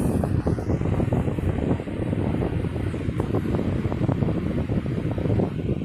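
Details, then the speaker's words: 1960s 16-inch Toastmaster box fan, first start-up since late 2022, on low speed: soft, steady rush of air over a low even hum, no ticking or wobble; runs smooth, powerful and well balanced. "okay very very powerful has a good low speed to it very well balanced too by the way it's running very"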